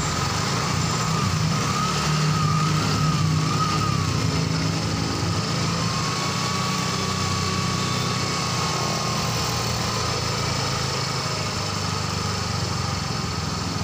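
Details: Yamaha Mio M3 fuel-injected scooter that kept blowing its fuse and dying after refuelling, running after the water-contaminated regulator/rectifier (kiprok) wiring was dealt with: steady even idle with a light high buzz, no misses, knocks or surging; normal idle.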